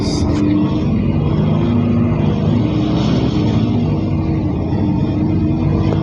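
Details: Mercedes OC500LE bus SMB107L on service 985, formerly at GBDEP on 190/190A, recorded while riding aboard: the engine was previously normal but now sounds like a big metal box, a boomy diesel drone under load with a hollow, tinny ring; cause unknown.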